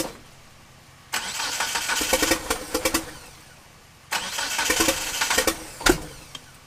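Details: 1997 Eclipse GSX with 2G stock wiring, a 95/96 cam sensor and a 95 ECU: two bursts of steady cranking, about three seconds each, that never fire. It cranks but won't start; a timing or cam angle sensor issue is suspected.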